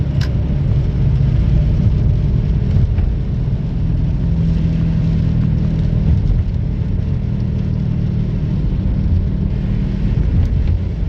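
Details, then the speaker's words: 2005 Honda Civic coupe, noisy front wheel bearing heard while driving before replacement: steady low growl and drone under the road rumble from a worn wheel bearing. "It's got a noisy wheel bearing, as you guys will hear in a short second."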